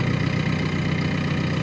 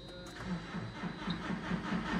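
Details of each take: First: JCB diesel that finally fired after no-start trouble: steady, even low diesel idle with no knocks or misses. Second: JCB with recurring problems, owner suspects blocked filters and considers the fuel rail sensor: rhythmic pulsing about twice a second with steady buzz and fast high ticking from a component at the top, left buzzing.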